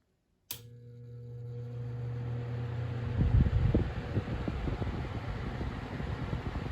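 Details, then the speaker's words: 2016-17 Lasko box fan switching on: click, then steady low electrical motor hum persisting under rising airflow, even at full speed; owner attributes it to cheap construction. "I could hear the motor humming not only at the start but I could hear it wallows even at Peak run too"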